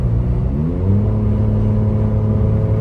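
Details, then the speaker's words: Ford Bronco Raptor at full throttle under load: engine pulls with rising pitch and odd extra drone, boost gauge showing no boost, feels naturally aspirated; owner suspects boost regulator, unconfirmed. "so there is no boost going into this right now and here's a look at the boost gauge whenever it's making that noise it is not building any boost so it's got to be the Boost regulator or something something like that"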